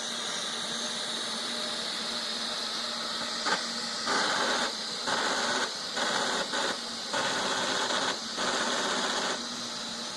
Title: Neato grinding noise after returned from repair 11 12 14